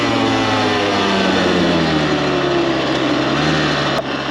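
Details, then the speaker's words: Rebuilt Kawasaki KX 85 two-stroke on first ride at full throttle on the pipe; crisp revving that climbs and falls cleanly, no vibrations, knocks or rattles, motor pulls strong; normal running under full throttle. "Everything feels really good. As you just saw, brought her up on the pipe, gave her full beans, and no weird vibrations, no weird sounds."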